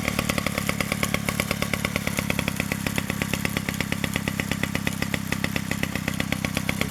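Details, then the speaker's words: 1947 Danarm Junior Mk1 two-stroke chainsaw after full restoration (new bearings, coil, condenser; remade fixings; timing set), no fuel tank yet, only a drop of fuel in the pipe: crisp, rapid, regular popping, no missed beats; runs normally and clutch operates fully. "There's only a drop of fuel in the pipe, so there's no fuel tank yet. There she is, she runs, and the clutch operates fully"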